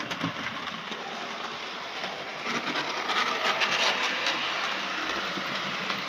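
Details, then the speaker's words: OO gauge 9F locomotive with a repaired R2880 tender chassis using a 3D-printed replacement part, running on track. A light rattling, ticking whirr about two beats a second; the noise is suspected at the front. "There's a bit of noise. Bit noise somewhere along the line. Uh I think that's the front."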